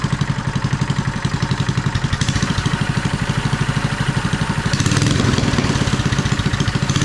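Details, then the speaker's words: Mini bike with performance kit running fast and unevenly, rough stuttering beats, backfiring, popping and shooting flames. Owner suspects the very short exhaust and plans to fit a new Predator 212 exhaust. "This is doing the same things, backfiring, popping, shooting flames. Yeah, it sounds good and looks cool."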